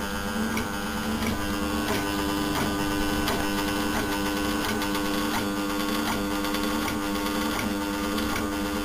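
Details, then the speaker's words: Seized scrapped air-conditioner compressor, casing very hot, hoped to get oil into the bearings while oil pumped out: a loud constant buzzing hum with faint ticks about every 0.7 s and no run-up. Stalled, and it went open circuit shortly after. "that's impressively hot impressor itself yeah I don't want to touch that too long there we go this might get some oil into the bearings"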